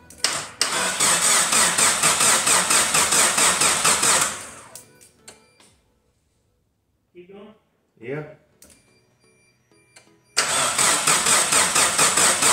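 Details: Geo Tracker revival after gas tank install, crank attempt: starter spins the engine in an even quick chug, about two beats a second, never catching; no fuel delivery.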